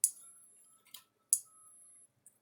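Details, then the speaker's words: Gallagher fence charger with S17 circuit board on about 6.5 volts from bench supply, no tester reading: sharp loud snapping clicks about every 1.3 seconds, sometimes louder, faint ring; something going off the transformer, arcing. "so the good thing is it's clicking if it wasn't clicking then we'd have other issues but it is clicking sometimes they're they're real loud and sometimes they're not that one was really loud so let's um it tells me something's going off the transformer"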